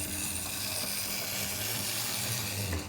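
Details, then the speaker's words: Old Bachmann/Mainline J72 split-chassis model locomotive after straightening heavily bent coupling rods; even fine whir from motor and gears with no catching, best it has run, slightly lumpy at slowest speed, motor probably needs a service. "is definitely the best it's Ran So Far slow it down a bit it's a little bit lumpy at the slowest speed but the motor probably needs a service"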